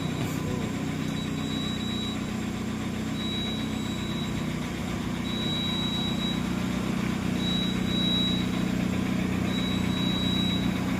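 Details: Mahindra XUV700 at steady idle: a thin, high-pitched whine comes and goes about every two seconds. Alternator bearing noise.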